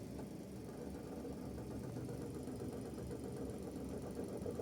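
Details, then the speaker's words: Suzuki Every DA17V minivan at low idle (~800 rpm): faint irregular low rattle that disappears above 1000 rpm; owner suspected tensioner bearing, but rattle remained after replacing it; source unclear. "May maingay diyan feeling ko tensioner bearing yun or something."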